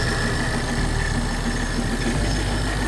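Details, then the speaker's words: Supercharged Mustang with a catch can fitted and vacuum lines cleaned up, AFRs around 14, tune still being dialed in: deep, steady, even rumble holding a constant beat, no misses or hiss, no leaks; normal idle. "this is going great this thing's staying on nicely the catch can looks great we're not leaking from anywhere"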